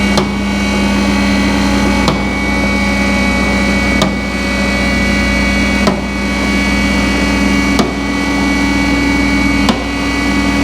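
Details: Peugeot RCZ-R running after a service and a new rocker cover gasket, checked for oil leaks before warming up: even, steady idle with a constant hum and a light click about every two seconds in the background; engine running normally.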